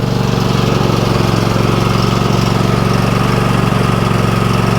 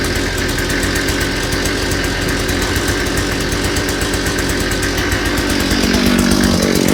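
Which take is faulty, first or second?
first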